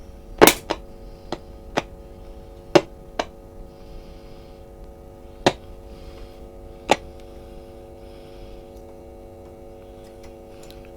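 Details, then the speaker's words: One of two Philips valve radios (a B3X02A or a 353A) brought up on a variac to about 195 volts and tried on FM. The set powers up with a steady low hum and tuning clicks, the pointer moves, but there is no reception. "the pointer is moving but again no sign of re of actual reception"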